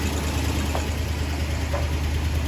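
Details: 1975 International D150 pickup V8 after fuel pump replacement and carburetor rebuild, running off a small gas can: low, smooth, even rumble at idle with no knocks or misses; normal, healthy idle.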